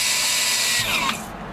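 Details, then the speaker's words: MerCruiser ski boat with 4.3 V6 truck engine swap, trim powered from a hooked-up battery with a loose connection: short even high-pitched motor whir winding down, trim going down then up; normal power trim operation. "but i did hook a battery up and the trim does work you can hear it uh well got a loose connection got a loose connection all right that's actually the trim going down going up"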